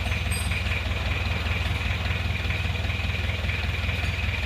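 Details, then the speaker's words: Isuzu Panther Miyabi diesel after engine rebuild, glow plugs not working so it was hard to start, injection pump timing suspected too far advanced: even chug about 2.5 pulses per second with no misses; still smoking while cold, normal cold idle. "nah ini kondisinya seperti ini masih ngasap karena masih dingin belum"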